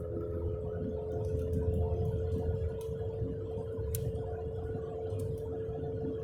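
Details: Car driving at 20–30 mph: a steady low roaring hum that seemed to come from underneath. The tires showed no irregular wear and the wheel passed the shake test. The cause was a worn left-front wheel bearing; replacing the hub assembly stopped the noise.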